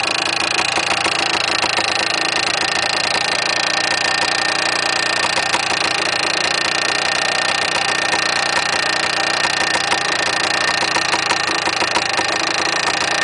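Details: Yamaha DT400 two-stroke, steady metallic rattle riding over the engine note at constant speed; mechanical rattle inside the engine, source not yet pinned down, engine to be opened later.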